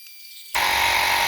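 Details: Lokithor JP400 jump starter's small air compressor inflating a tyre toward 36 PSI, about six minutes in as battery meter drops a bar: steady even high-pitched buzzing rattle; normal under load until thermal shutoff near 8 minutes.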